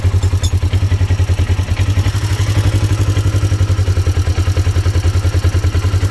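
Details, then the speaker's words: Polaris XP1000 after installing Tusk automatic cam chain tensioner: even steady thumping idle with no chain rattle or ticking; cam chain noise fixed, normal idle. "Quiet as can be now."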